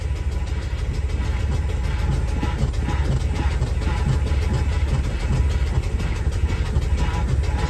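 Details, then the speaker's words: 1975 Lincoln Continental V8 at idle, running again after cooling system work: a rough, busy noise from the hydro-boost brake assist whenever the brakes are tapped. Owner suspects air in the system. "It's just super noisy. It may get better. I don't know if you can hear it. As soon as I tap on the brakes, it gets noisy."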